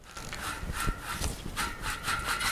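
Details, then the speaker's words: Shimano Deore M6000 rear hub on a bicycle after 1300 km with no servicing: rough, gritty rasping rising and falling with each wheel turn; the hub bearings are dry inside and need fresh grease. "the hubs need some servicing. I should have done some servicing before because these are already dry inside"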